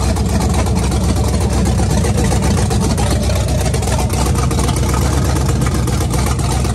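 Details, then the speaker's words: 1965 Ford Mustang Fastback V8, restarted after sitting for years: deep, steady rumble at an even idle with no knocks or ticking; pressure reads 60, no timing issues, normal idle. "There you go. It's alive. Doesn't sound too bad."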